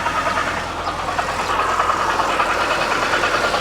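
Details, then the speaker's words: BMW E92 325i manual at loud idle, AC cold: steady thudding about three per second, same volume above, below and either side, centrally located; failing AC compressor, not bottom end. "it was uh strangely it is no louder or quieter below the car yeah it's the same sounds like the same volume and the same sort of amount of thud whether you're on the top and either side so it is very central"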